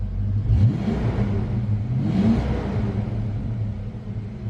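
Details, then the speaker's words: Warmed-up '93 Mustang Cobra 5.0L V8, after fixing a cylinder that left it running on 7 cylinders: revs up cleanly twice with no hesitation between 2000 and 3000 rpm; check engine light off, healthy. "i can tell it's definitely revving easier there's no hesitation right there between two thousand and three thousand that's gone"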